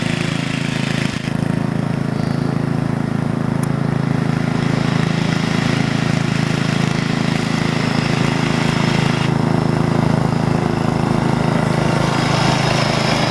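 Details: 1975-ish Snapper Comet 3081 rear-engine rider mower, 30-inch deck, 8 hp, restored and repainted, mowing a backyard: single-cylinder engine holds a steady, even drone under load with no misfires or surging; running healthy.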